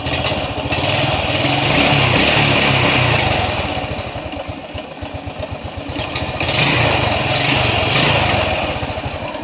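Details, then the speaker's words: Honda Revo Absolute motorcycle after repair of an ignition (no spark) fault, with spark restored: the single cylinder runs with a fast, fairly even putter that rises and falls with the throttle. It fires and runs properly. "Hai atau teman sulit ya untungnya sudah bunyi Kembali jadi yang bermasalah itu adalah siklusnya"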